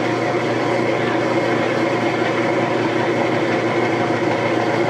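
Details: Whirlpool direct drive washing machine (possibly 2009), drain and spin triggered with the timer switch during a water level switch and neutral drain test: steady, even motor and tub hum with no knocks, grinding or surging; normal.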